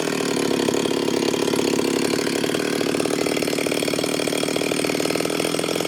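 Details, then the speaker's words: Ported Stihl 026 chainsaw after port work, tune believed pretty close: starts easy and holds a steady, even idle with a regular burble and no hunting. Clean four-stroking up top and revs out without the floundering it had before. Normal idle. "it starts easy it's idling good good clean four stroke up top and it's as if it'll rev out um ain't making all that floundering and it was doing before"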